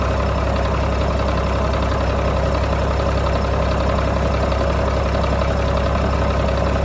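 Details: 1995 GMC TopKick cab-chassis truck with a Caterpillar diesel, first start after acquiring it: steady, even low rumble and regular diesel clatter with no knocks or misses, a little exhaust smoke, good oil pressure; healthy idle.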